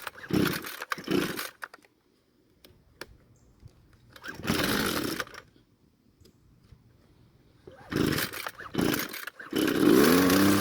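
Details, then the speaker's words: Husqvarna-made red string trimmer, hard to start hot, old fuel in the tank, wet dark brown spark plug: it catches in ragged bursts and sags, surging and nearly dying once off choke; the carburetor is over-fuelling, running rich. "well it started but after turning the choke off the engine didn't want to stay running"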